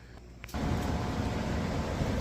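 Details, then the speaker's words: Furnace back on after power loss, a steady low rumble with no knocks or squeals. One leg of the house power keeps going out, so it is being rewired onto an extension cord to stay running at 5°F. "all right guys I was literally just stripping this getting it ready and the furnace is back on as you can hear so I know it's not good for the furnace to keep shutting off and Prime heat cycle"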